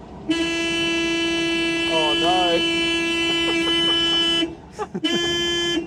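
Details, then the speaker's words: WWII Volkswagen Schwimmwagen, just running again after engine trouble was repaired. Horn blares on one steady note for about four seconds, cuts out, then sounds again unprompted; horn stuck on and later disconnected. "no the horns got stuck it's a horny swimmer oh no of all the things that can happen"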